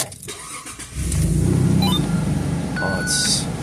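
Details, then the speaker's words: Jeep Grand Cherokee (Truck 1) after a misfire fix (codes P2305, P0302, P0052), which previously felt like slamming pistons and wouldn't run: engine catches after a brief crank and pulls away with an even, steady low rumble, smoothest it has run in years. "This is smoother than it has ran since I've owned it. This is about the smoothest it's ran since I've owned it. It's probably the smoothest it's ran in years."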